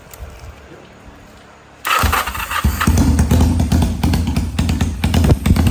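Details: 1991 Kawasaki Ninja 500 twin in mini bike, first start after new gaskets and clutches, carb rejetted with bigger jets, gravity-fed fuel, no cooling system yet, open exhaust: barks into life, loud and rough-edged, catching and holding; running normally.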